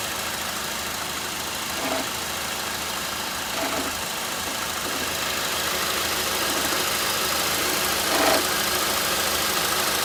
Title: Faulty bearings in alternator causing rattling noise from this 2007 Honda Accord 2.4L engine.